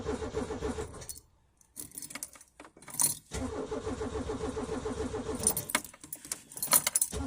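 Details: Peugeot 205, cold start at about 2°C at night: steady churning crank at about three to four beats a second, stopping and retrying without catching; cold engine slow to fire.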